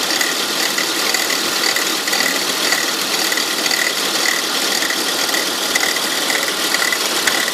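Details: 2002 Volvo S80 2.3T petrol, cold morning start: fast, uneven ratchet-like clicking from the front of the engine that disappears after about an hour of driving; workshop found a bad alternator pulley, and replacing it cured the noise.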